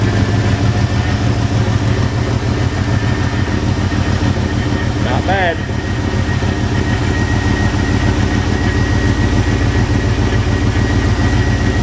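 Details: Squarebody truck that sat in a field about 10 years, running after new fuel pump, fuel lines, spark plugs and plug wires; steady even low rumble with regular beat, no knocks or misses; normal idle.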